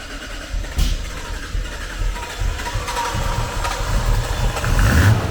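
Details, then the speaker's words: Nissan Skyline GTR R33 with RB26 engine on gasoline, before a FuelTech ECU install: uneven, lumpy idle with irregular stumbles that cannot hold idle properly; rough idle, a corrupted engine map is suspected. "Porque tava muito estranho o funcionamento do carro, tanto que ele não conseguia nem parar na lenta direito."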